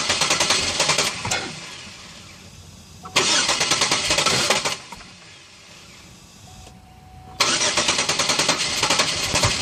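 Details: Engine with the old fuel pressure regulator in place; fuel pressure reaches 53, slowly leaks down to 50 and holds, and still read 50 after sitting over an hour. Three bursts of steady cranking at a few turns a second, and it never catches: crank, no start.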